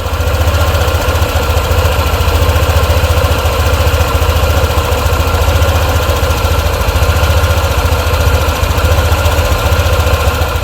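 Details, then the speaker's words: Honda ADV 150 scooter on first cold start: rough, rhythmic clatter from the CVT side at idle, which did not return on later starts; a dry CVT cover bearing is suspected, not confirmed. "yesterday I turned on the ADV and when I turned it on I made a super strange noise on the CVT and it was only the first time it worked after I went out with it"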